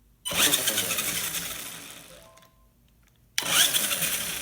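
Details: Outlaw 1/10 RC car after replacing the faulty electronic speed control: sharp high electric whirr surges to full throttle, fades, then winds up hard again; motor pulls cleanly and sounds healthy.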